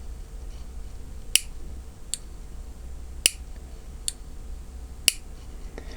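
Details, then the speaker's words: Chinese tankless instant water heater, disassembled, control selector turned by hand: five crisp sharp clicks at uneven spacing over a quiet room hum; a normal position detent with no contacts or electronics, switching nothing. "вы думаете он чего-то включает выключает тут нет никаких контактов и какой в нём электроники не это он щелкает"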